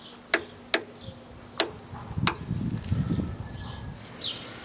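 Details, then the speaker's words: New transmission being fitted to a Honda mower, which had gone sluggish with grinding after 3 years: drive gear turned clockwise by hand on the spring and pawl, a few sharp clicks; ratchets normally. "Gear wheel slips on, and do it clockwise, you should hear it ratcheting."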